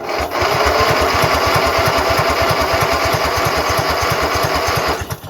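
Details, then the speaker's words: Craftsman GT6000 garden/snow plow tractor at 26°F, in gear, on choke with starting spray: steady cranking about three compression beats a second, no firing; fuel tank suspected empty. "Maybe I have no fuel in here, huh? And I have no way to tell either. It would help if I had some fuel in there, huh?"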